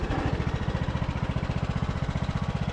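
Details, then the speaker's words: Craftsman LT2000 riding mower, sat a couple of years, after repairs and running on a jump pack: even, steady exhaust pulses about thirteen per second, no misses or knocks; engine runs smoothly and transmission is good. "I mean, you guys can see how smooth this engine runs on here."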